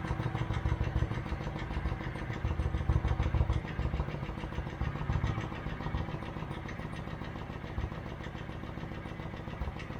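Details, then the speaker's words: 2008 Kawasaki Vulcan 900 Classic LT, first start in 8 years after new spark plugs and battery: steady low idle with firm, even pulses, no misses or knocks; runs like new. "wow that sounds like a brand new fight"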